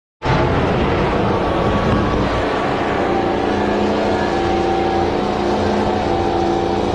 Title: Diesel Runaway #motogp #youtube #runawaydiesel #automobile #shortsfeed #shorts